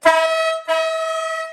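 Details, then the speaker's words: Monster truck air horn test with the small and big horns paired as a dual-tone: two short blasts, a strong high note over a faint low one. The mismatched horns sound thin and cancel each other out, so the owner decides to keep the big horn alone. "It doesn't sound as good. It doesn't sound as good, does it? Because no. One's really high, one's really low. You kind of cancel each other out."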